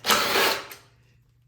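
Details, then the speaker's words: Troy-Bilt Storm 2410 snow blower on full choke, primed: catches with a rough roar for half a second then dies; stalls from fuel starvation, carburetor clogged by old gas, fixed by cleaning it. "just doesn't stay running it's a very common issue"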